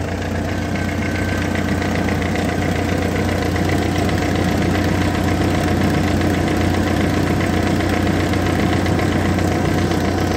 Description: Recently noticed a ticking/clicking noise coming from the front end of the engine bay.